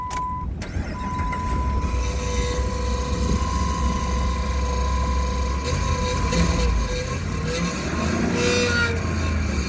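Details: 2007 Dodge Ram 1500 5.7 Hemi, 140,000 km, just after remote start: loud steady high-pitched whine over the idle rumble, blamed on the transmission, audible two blocks away; no leaks or rubbing seen at the inspection plate, cause unknown.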